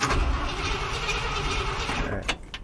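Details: Ford F350 cranking about two seconds, uneven, never catches, then stops with a couple of clicks; cranks but won't fire; cause later found as out of fuel, fuel pump replaced.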